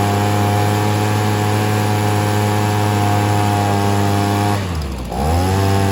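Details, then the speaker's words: Stihl SH 55 handheld two-stroke blower/vac, limiter cap still on: high buzz that sags and picks back up near the end, hunting like a lean mixture; owner suspects low fuel, still weak when laid flat. "you can tell it's kind of surging a bit I think that's just because it doesn't have enough fuel but when it's laying flat still doesn't seem to have much"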